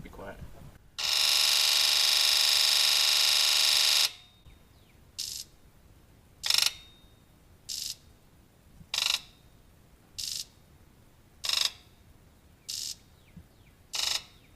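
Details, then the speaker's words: Ford 7.3 Powerstroke diesel, injector buzz test before repair, misfiring badly with expected IDM code: long buzz of all injectors together, then individual buzzes about every second in numerical order, one side noticeably weak; faulty injector harness. "that side sounds weak as hell and that's what's really wrong with the truck"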